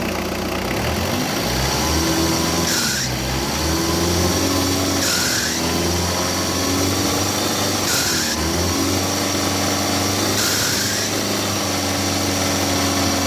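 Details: Mitsubishi L200 Savana: four quick revs a few seconds apart, each bringing a rising rasp and hiss over the engine. Noise when accelerating under load, cause unclear.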